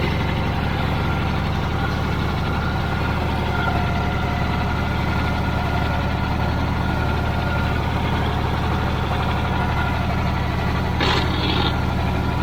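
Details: Old Caterpillar D6 dozer diesel at about half throttle, deep steady low thrum with even beat, no knocks; runs smooth, normal running.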